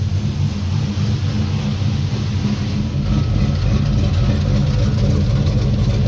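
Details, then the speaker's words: 1965 Chevrolet Impala with LS swap, freshly cammed 5.3 V8 and rebuilt 4L60E, warm at 171° on scanner: deep choppy idle with a rhythmic lope about three beats a second, steady; O2 sensors oscillating, fuel trims within 4%; normal lopey cammed idle. "Got a nice little lo to her."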